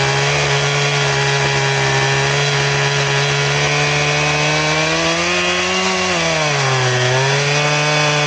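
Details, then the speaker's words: Chainsaw with chain sharpened to a 10-degree filing angle, running in a round: holds high revs then sags and labours in the cut before recovering; cuts real slow like a dull chain, from the incorrect filing angle. "It's almost like it's a dull chain is what it acts like."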